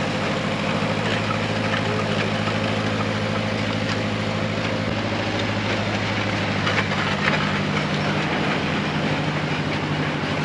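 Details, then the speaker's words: Nissan SD22 2.2L 4-cylinder diesel in an Oliver OC-3 crawler loader with half a 720 pickup transmission, moving in first gear under load: steady, even diesel drone, no knocks or misses; runs and pulls normally. "the half transmission worked great the first gear speed wasn't too fast at all"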